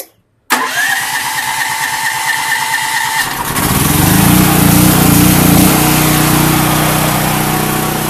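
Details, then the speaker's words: Predator 8750 and Duromax XP12000EH dual-fuel generators running on propane through a Tonco dual-fuel carb and low-pressure 1 lb regulator, started with choke on then off: brief crank, catches instantly, steady even idle with no misses or hunting; normal start. "no problem whatsoever shut it down"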